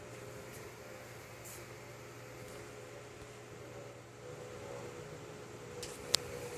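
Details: iMac after repair, incompatible hard drive replaced with new Apple-verified drive: soft, steady whirr with faint low hum, no rattle or roar; fans running smoothly and quietly, normal.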